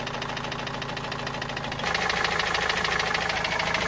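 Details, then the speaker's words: Opel Movano/Vivaro turbo diesel, noise began two to three weeks ago: sharp regular hammer-like knocking about three per second over the idle, louder as engine note rises; source unknown; engine knock. "وهذا الصوت ما عم نعرف منين الصراحة، صوت مثل المطرقة يعني."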